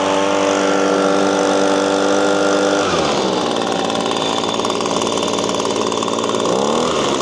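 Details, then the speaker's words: Six-year-old Echo PB-250LN handheld two-stroke leaf blower after fuel tank and filter cleanup: holds steady high note, dips and climbs back, never reaching full top-end scream; runs slightly better, higher rpm, but still not revving out. "My findings are it runs a little bit better. It runs a little higher RPM, but it's not where I think it should be."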